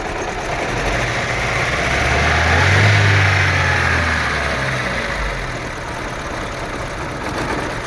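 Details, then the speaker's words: Daewoo Nexia that began shaking and stalled while driving after an engine wash: a rough, shaking idle with a steady stumble, as if one or two plugs are dead. The cause is a burnt contact in the distributor cap, and a new cap has been bought to fit. "Мотордың оталып тұрғанын көрсеңіздер, как будто свеча істемей жатыр. Біреуі или екеуі."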